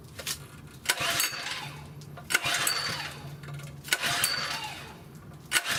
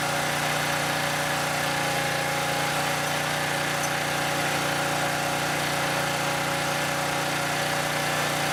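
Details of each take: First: Southland lawn edger that won't start even after new spark plugs; the carburetor is to be checked next. Four rough pull-start bursts about every second and a half, each fading out without catching. Cranks but won't start. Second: Southland lawn edger that wouldn't start, spark plug replaced: small petrol engine holds a steady, even buzzing idle for several seconds, no misses or surging; normal idle.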